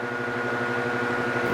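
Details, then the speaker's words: Ryobi 18V ONE+ 120 W inverter (RYi120A) running a fan on low: steady electrical buzz with a thin high whine over the fan hum, because it is a modified rather than pure sine wave inverter. "hat but i mean i am hearing like a like i'm hearing like a weird noise like an inverter noise um it's not gonna it's not gonna kill the fan or anything but it's not a pure sine wave inverter"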